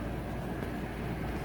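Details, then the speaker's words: 2023 Yamaha YZ250F after throttle position sensor replacement for intermittent bogging and dying: dense, even low rumble, no misses, knocks or surging; no diagnostic codes, running normally, new TPS fixed the issue. "well obviously everything still seems fine so hopefully I did the trick double checking one more time no diagnostic code so that's good"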